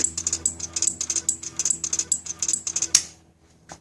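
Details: 2007 Suzuki GSX-R600 that won't start: no headlight, no horn, dash only shows check with no code; pressing starter gives fast dry clicking about ten a second with no cranking.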